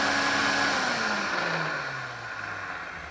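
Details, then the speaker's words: Electrolux 502 vacuum cleaner after bearing lubrication, running without vacuuming: motor whine falling in pitch on spin-down with a faint rough edge; slightly worn motor bearings, not perfect but much better than before. "it doesn't sound perfect but it doesn't sound as bad as it does"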